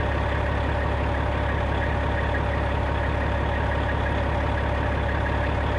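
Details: 1995 Western Star with Cat 3406E diesel after installing new 6-inch Grand Rock exhaust: deep, steady idle with even low rumble, no misses or knocks; exhaust leak fixed.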